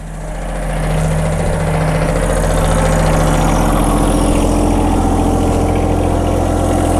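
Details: John Deere 1023E sub-compact diesel tractor that stalls only in cold temperatures (30°F and below, not fuel gelling), run in winter after an initial sputter from air in the lines: steady, even diesel idle with no misses or hunting.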